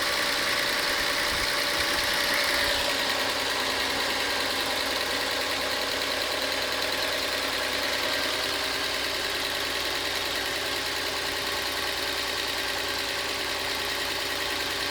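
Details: Passat petrol engine at idle after timing work: fast, steady light clicking, roughly three ticks a second; owner unsure whether it is a timing issue or lifter noise.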